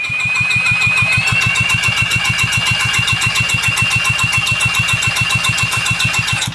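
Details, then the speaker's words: Tecumseh generator engine, compression test cranked with a drill: fast, even, light cranking pulses about three or four a second under the drill whine; barely 50 psi, low compression pointing to internal problems. "So again, we got barely 50 PSI. So that right there would indicate that uh our engine's not healthy. Our engine's not doing very well and we definitely have some internal problems."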